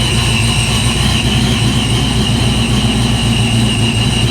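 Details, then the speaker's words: Foxbody Mustang supercharged 347 after an oil pump swap to a high-volume pump, dead cold with 35 psi oil pressure. Low, steady idle at 530 rpm with a faint steady whine and no knocks or ticks: a healthy cold idle. "PSI pressure light out here cold idle at 530 with a high volume pump there we're dead cold still and we're just going to let it warm"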